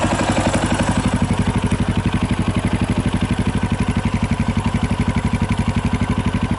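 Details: 2018 Yamaha Tricker XG250 single: steady, regular metallic clatter about four beats a second over the idle, from a slack cam chain, addressed by adjusting the cam chain tensioner (stock tensioner was automatic); cam chain noise.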